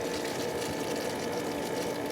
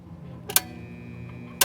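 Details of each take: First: Pool pump after replacing the failed motor run capacitor (30 µF, 370 VAC) that left it only humming: even, steady hum with water rushing through, no surging or straining; pump motor running normally again. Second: Pool pump motor switched on: a steady low mains hum with no spin-up, just two sharp clicks, the motor stalled; a failed 30 µF 370 VAC run capacitor on top; it starts when spun by hand.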